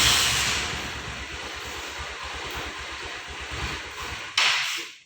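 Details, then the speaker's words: Cold Honda New Megapro monoshock motorcycle idles unevenly with weak, ragged firing, then sputters and dies; hard starting when cold from a torn carburetor diaphragm. "Ya tergantung dari tahun-tahun kalau pengeluaran pertama itu tahun 2010 pasti kendalanya usah hidup atau seminar pada saat mesin dalam keadaan dingin Coba kita lihat Seperti apa"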